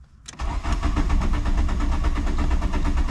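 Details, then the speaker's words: VW Mk2 Jetta sat about five months: steady strong starter cranking about four turns a second but engine never catches, battery fading; owner suspects low fuel pressure or bad gas. "she's fine the CRA wi sounds good just needs a little bit more uh fuel pressure sounds like but we'll get it going think it's is bad gas"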